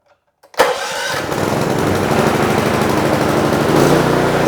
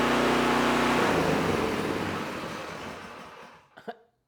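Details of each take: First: Predator small engine with an HFS remote start module, fuel on, choke on, before repair: it catches at once on choke and settles into a busy, slightly uneven run. It only starts with choke; a dirty carburetor was later found and cleaned. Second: Predator single-cylinder small engine with an HFS remote start module, after a carburetor cleaning to cure starting only on choke: runs smooth and even at steady speed, then winds down and stops cleanly; healthy.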